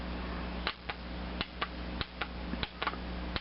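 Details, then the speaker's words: Cub Cadet tractor carburetor fuel solenoid bench-tested off the engine with a 12 V DC supply, ground on mounting bracket; crisp single and paired clicks as power touches it, plunger moving freely, not bound up, solenoid working normally. "to the supply cable for that solenoid, and you could hear it clicking, so that we know that it's moving freely and it's not bound up."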